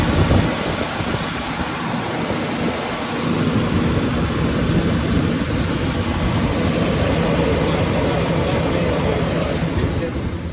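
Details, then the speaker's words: 1967 Ford Thunderbird that would not start, now running after a battery connector replacement and a partially restricted fuel line was sorted: smooth, even idle with a steady low rumble, no stumbling or surging; fuel supply unrestricted; normal idle. "right now it's working fine and uh the thing is even though it's b car 1976 but it's working or starting very nice man"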